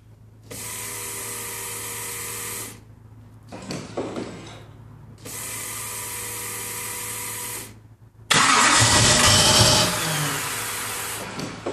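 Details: 1988 Lamborghini Countach replica, two cranking bursts of about two seconds without catching, then a brief rougher run; no-start after being moved, fuel delivery suspected, with the fuel pump, a gap sucking air and the pressure regulator under suspicion.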